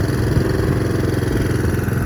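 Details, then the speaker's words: Lawnmower warmed up after running on choke, choke just taken off: steady, even low putter with no stumble, slowdown or change in engine sound, showing the engine is warm enough; normal running after warm-up. "There's absolutely no change in the engine sound. In effect, what happens is, the engine's kind of already warmed up, it's quite warm, but you leave the choke on just long enough to warm the engine up,"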